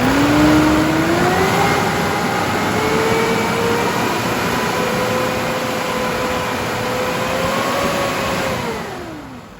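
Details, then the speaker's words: Mitsubishi Delica Space Gear diesel, battery 12.6 V engine-off during alternator test; after start the engine note climbs, holds high for several seconds, then sags back, idle hunting rather than settling; engine speed surging. "So yeah, that's good to go. I'm gonna videotape the vehicle surging."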